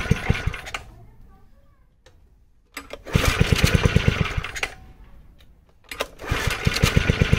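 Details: 1970s Honda G35 3.5 hp general purpose single-cylinder engine: pops into life in short bursts of steady firing with pauses between; runs, no clear fault audible.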